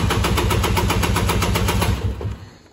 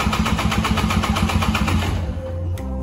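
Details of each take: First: 1998 Polaris Explorer 400 two-stroke ATV started cold, which idles around 300 rpm and stalls even when warm. Lumpy, uneven putter that fades and dies within seconds. Rough idle and stalling from an oil-flooded crankcase. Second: 1998 Polaris Explorer 400 two-stroke ATV that barely idles, hesitates and stalls; compression test cranking at wide-open throttle: fast, even beats about four a second, each equally strong; gauge then reads about 105–110 psi, compression good.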